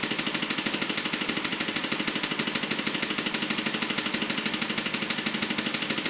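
A crisp, even ticking about three times a second rides over the idle and stays steady; there is clicking at idle, cause unknown.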